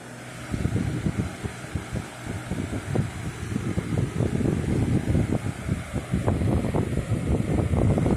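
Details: Lasko Weather Shield 20-inch box fan, heavily used for about a year, after cleaning and servicing, on medium speed: steady rush of air with low buffeting thumps on the mic, no rattle or wobble; no vibration, blade well centered and balanced, normal running.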